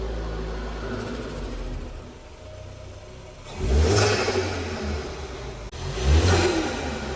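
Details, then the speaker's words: Ford Focus ST Mk3 estate engine revved during restoration: two quick throttle blips climb and fall cleanly over a steady idle, lots of chatter; sounds healthy, normal revving. "oh yeah yes people doesn't she sound good lots of chatter as they say"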